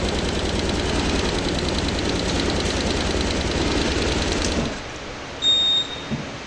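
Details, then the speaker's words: Honda Airblade 150 scooter at idle before the engine cuts: busy, fast clatter from up top, the noisy part; mechanic advises a tune-up then opening the tensioner, cause not confirmed. "Kasi ang maingay sa kanya, nandito banda sa ibabaw."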